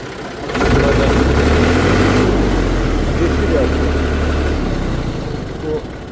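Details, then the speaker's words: Massey Ferguson 135 diesel tractor, injection pump previously serviced after losing pulling power when warm: engine catches and settles into a steady, low, even idle with no knocks or misses; runs smooth and healthy. "Bir çalıştıralım bakalım Boşluk birleri Tamam onla işe yok tamam çalışıyor değil mi"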